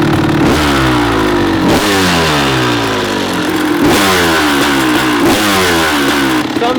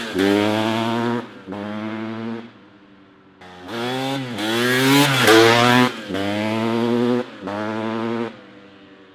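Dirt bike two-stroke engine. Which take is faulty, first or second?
first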